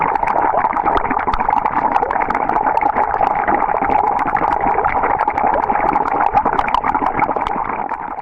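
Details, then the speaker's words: Swimming pool leak detection in Jupiter, Florida, compressor air blasted through skimmer plumbing line, heard underground beside skimmer housing: steady bubbling rush of air churning throughout; air escaping through broken underground skimmer line, siphon with main drain draining pool. "I hope you guys were able to hear that on video, but this skimmer plumbing line is without a doubt broken right here."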